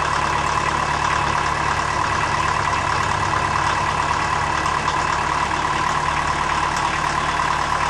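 Steady idle with an irregular shake, about three uneven pulses a second under the exhaust drone; cold engine is idling rough.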